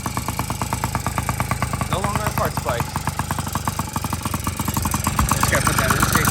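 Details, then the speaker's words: Yamaha PW50 two-stroke with new top end, on premix, intake cover not yet fitted; rapid raspy putter with loud open-intake hiss, picking up slightly near the end, running normally after fix of a non-starting engine. "Sounds like a loud intake. Yeah, pretty cool."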